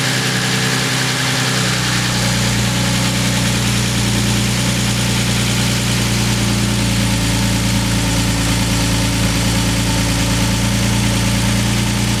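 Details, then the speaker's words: Freshly rebuilt BMW M54 in E46 race car, first start, no belt fitted, coolant not yet bled, run only briefly: steady idle with fast light ticking on top; valve train noise, cause unclear, partly went away on restart. "i did start up again and do a more thorough check and everything looked good some of the valve train noise did go away too and i'm not sure what that noise was"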